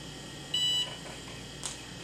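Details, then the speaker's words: 1993 IBM PS/1 Consultant 2133-G49 (486SX 25MHz, 2MB RAM, upgraded via 72-pin SIMM) powering on; soft steady fan hum, one short high beep, then a brief whir; clean single-beep normal startup. "But let's get this thing powered on. Alright. Let's listen to the amazing sounds of old PCs."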